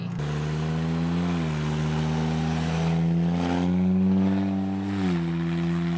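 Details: 2007 MK5 Jetta 2.5L whose exhaust rusted through at the downpipe clamp, effectively straight-piped; new clamp ordered: deep, loud, unmuffled roar rising and falling with each throttle blip.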